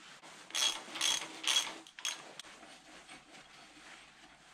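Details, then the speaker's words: 99-06 GM 14 Bolt (10.5) rear axle regear to 5.38, carrier bearing caps loosely snugged before adjustment: three quick metallic clacks as ring gear is rocked, lots of free play; excessive ring and pinion backlash. "we have a ton of backlash and that's the distance of what the ring gear travels before contacts the pinion gear you can hear that's a ton"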